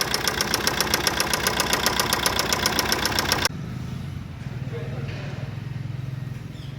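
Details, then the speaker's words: Maruti Suzuki Swift diesel: sharp, steady knocking about six times a second at idle, settling to a duller idle; engine removed and opened in the overhaul, crankshaft and bearing found scored and worn. "ਆ crack ਆ ਖੜਕਾ ਕਰਦਾ ਇਹ ਆਵਾਜ ਆਉਂਦੀ ਸੀਗੀ"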